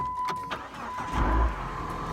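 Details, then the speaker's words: 2007 PT Cruiser after replacing the alternator belt and tightening the tensioner; it previously squealed on startup, and the owner suspected alternator drag with the AC not working. It cranks briefly into a steady idle with no squeal or chirp. "nope doesn't squeal so solved that took about 15 minutes"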